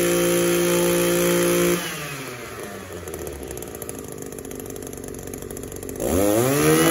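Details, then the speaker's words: Echo SRM-280S trimmer that would not rev up, after its clogged catalytic converter was cleaned and it was warmed slightly: clean full-throttle scream, smooth drop to idle, climbs back cleanly. Revs freely now. "all right let's see what this thing sounds like after we clean the catalytic converter out and check it out so it's idling a whole lot better already warm up just a little bit and we'll match the throttle down"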